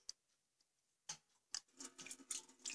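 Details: Yamaha Vixion radiator: turning the cap without lifting it lets coolant escape from the drain bolt, scattered drips plinking into a pan in a quiet room; lost radiator pressure, suggesting a worn radiator cap.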